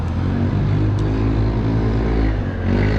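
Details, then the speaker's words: Passing single-cylinder scooter, apparently with an aftermarket racing exhaust: loud, raspy low-pitched drone swelling at the end, harsh and crackly exhaust note. Cause suspected, not confirmed. "Oh, le tuning, les scooters, t'entends ça? Les merguez. Le livreur de pizza, Uber et tout. Ah, le bruit, la merguez."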